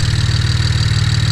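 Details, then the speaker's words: BMW 335i after replacing vacuum lines for rough idle: engine starts and idles with a steady, even low pulse, no stumble; one of its smoothest starts in a while; smooth idle. "but that was one of the more smooth starts it's had in a while that's for sure"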